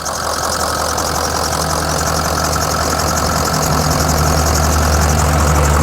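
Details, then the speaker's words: 2004 Ford Excursion 6.0L Powerstroke diesel, 186k miles, with head studs, at idle: diesel clatter with a faint steady high whine; seller attributes the slight belt whine to moisture or detailing spray on the serpentine belt. "It was just detailed, so it's got a little bit of moisture on the belt, which is why you hear a little bit of a belt whine."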